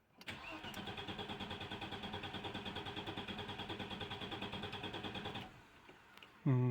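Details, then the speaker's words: 1996 Audi 80 Coupe 2.6 V6 unmoved for 15 years, fuel pump run off a 12 V pack: steady cranking for five seconds with no firing; no fuel found at the fuel rail. "right I found a problem cracked openly two nuts on the fuel rail at the front and there was no fuel there"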